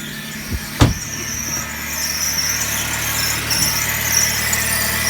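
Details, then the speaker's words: Suzuki SX4 manual at idle, heard from inside the car then at the engine bay: loud continuous high-pitched squeal from the serpentine-belt accessories with early knocks. Owner first suspected the water pump; the stethoscope points to the idler pulley. "okay so it's not the water pump this is the idler pulley"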